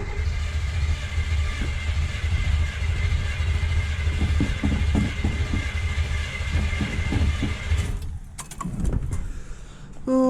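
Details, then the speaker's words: Buick Skylark carbureted engine cranked after carburetor refit, fuel reaching carb but no accelerator pump shot: lumpy labouring chug that never catches, won't start; carb removed again to investigate pump linkage and needle. "okay now the carburetor's back off because I found I had no accelerator pump just come which is kind of weird"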